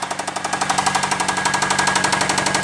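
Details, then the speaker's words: Chrysler/Dodge 2.4L run with coolant drained (and oil drained) to destruction: loud, sharp, regular knocking about fourteen hits a second with a metallic ring; the light ting is flywheel harmonic, the knock and tap come from the engine. "The little lightweight ting is the flywheel. It's more of a harmonic than it is a knock or a tap. The knock and tap's coming from the engine."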